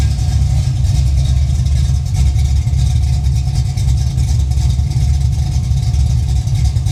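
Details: Holden VL Calais pro street 304/308 V8, idling about 10 minutes to bleed the coolant system, viscous fan running, alternator now charging: deep, steady burble with even rhythmic pulse and no knocks or misses; clean healthy idle.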